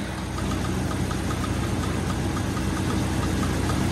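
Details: Jeep XJ engine on its first start after the project build, cats full: rough low idle with a light, fairly regular ticking on top, about three a second; sounds like a timing chain rattle from a failed tensioner.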